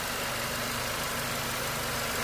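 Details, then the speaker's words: 2012 Mercedes C250 M271 Evo turbocharged engine idling after replacement of the cam phasers, cam chain, tensioner, guides and gaskets: an even, smooth, low hum with no ticking or rattle, much better than before. "engines running great nice and smooth much much better"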